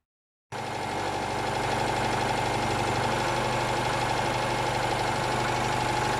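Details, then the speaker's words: Days after failing to start, now starts readily; catches and settles into a steady even idle of about four beats a second with no misfire or stumble. "in fact they're both quite happy to start and run today"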